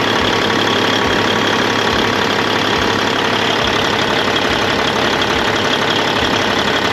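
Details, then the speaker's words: 1998 Freightliner Classic, Cat 3406E diesel, after replacing injectors and cups (fix for fuel dumping into oil at idle), injectors set at 52.32, fresh oil: steady regular idle clatter, no misses or knocks; normal clean idle. "looks good sounds good got the injectors set at 52.32 just to give it a little more juice and uh 68 pounds of oil he runs pretty clean"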